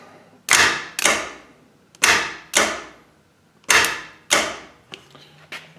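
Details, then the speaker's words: AMC Javelin gear-reduction mini starter bench test with old crusty jumper cables: sharp irregular snapping pops with no motor spin, cables arcing across bad contacts; poor cable connection, starter not spinning. "not spinning it's having difficulty getting a good connection across here with these old crusty cables"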